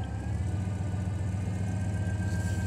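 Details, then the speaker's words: 1991 Chevy truck idling in drive or reverse: a thin high whine that stops in neutral, fades on take-off and returns slightly on shifts. Cause is torque converter bearing failure. "What this vehicle is doing is when you put it in drive or reverse, when you engage it in gear, it has a whining noise."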